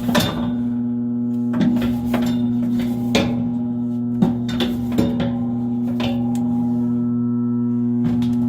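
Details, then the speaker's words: Furnace blower motor: a steady low electrical hum with scraping taps as a stick brushes the wheel, and no spin-up. The motor is stalled. "Okay, you hear her humming there, and I'm going to stick this stick in there, and it'll just right in that crack and just brush against that thing. No, it didn't go."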